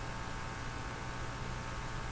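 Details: Hallicrafters TW2000 communications receiver: faint steady low mains hum with slight hiss in the audio; the AM band behaves differently from shortwave, and poorly filtered power reaching the sensitive early stages is suspected, being checked with a scope at the filter capacitor.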